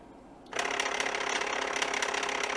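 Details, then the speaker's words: Samsung Jet 90 Pet turbo brush motor run from a bench power supply at 15 V, then 10 V: starts abruptly, then a steady rattly gear whir with fine clicking, weaker at the lower voltage; fault not evident. "I'll change it to 10 V, which is lower. You can hear it's weaker."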